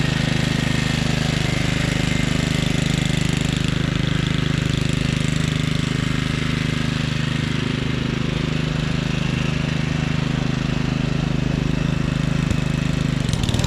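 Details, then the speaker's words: 1997 Craftsman II 30" rear-engine riding mower, 13.5 hp Tecumseh engine, another test run mowing after repairs: steady, even drone holding speed without surging, knocking or rattles; quiet, no vibration. Normal running. "yeah I know it probably doesn't look like much but this thing Ms great it's nice and quiet there's no vibration"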